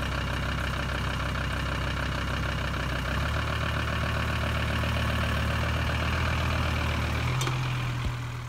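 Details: VW 2.5 TDI van (ACV/AJT engine) cold start after sitting about three weeks: steady heavy diesel clatter at idle with a slightly uneven beat and a puff of white smoke; owner suspects injection pump timing slightly out or worn injectors, unconfirmed.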